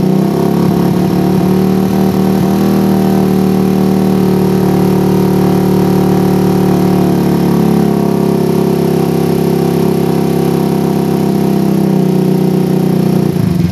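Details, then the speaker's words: PE24 carburetor after replacing the needle jet with a smaller-diameter one to cure a rich low range. A smooth, low, steady drone with no hunting or stumbling; the idle is more stable than with the previous needle jet. "nah suara idle lebih stabil lagi guys ya berbeda sekali dengan head nozle yang sebelumnya kita pasang"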